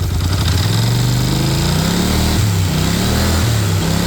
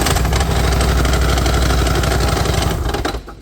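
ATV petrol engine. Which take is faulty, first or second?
second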